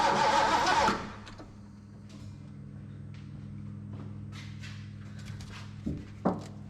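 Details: Long-parked old carbureted engine with points sparking better, primed with gas down the carb: catches and settles to a steady idle with a light tick about three per second; owner hopes belt, fears main bearing, suspects old gas.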